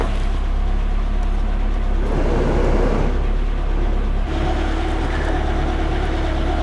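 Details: Peugeot 205 warming up with choke on, heater at full, after engine mount and heater radiator work: deep even idle that settles lower as the choke is switched off; smooth, no knocking, no coolant leak.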